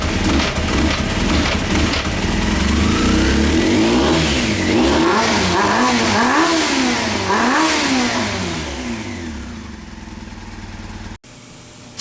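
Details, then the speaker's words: 1998 Honda CBR after carb rebuild, fresh fuel and new spark plugs, idle screw cable off: revs surge unevenly and sag, nearly dying on throttle, sounding like it runs on a couple of cylinders; still rough, suspected vacuum leak. "sound like she's running on a couple cylinders sounds like she has a vacuum leak like try to give it any gas it'll probably die"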